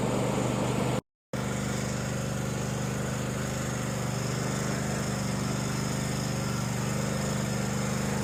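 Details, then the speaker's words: Small engine on a lawn mower after debris was cleaned from the fuel tank, a clogged pickup tube cleared and a screen filter added: steady, even drone with no misses or surging, running smoothly. "We ran it for about 40 minutes, and she sounds great."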